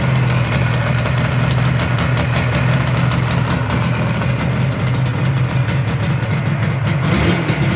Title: 1985 RD350 ypvs start up after rebuild